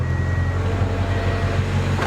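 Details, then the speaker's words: Car restarted after fitting a new drive belt, having lost some fluid: even smooth idle with steady low hum, no squeal or chirp; belt noise gone. "No more noise. Looking for cool. So, that seems pretty good."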